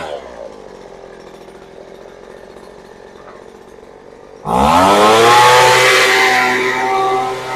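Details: Poulan Pro two-stroke leaf blower that sat unused and wouldn't start, now running. Quiet low idle, then a sharp climb to a strong, steady high-pitched scream held clean at full throttle.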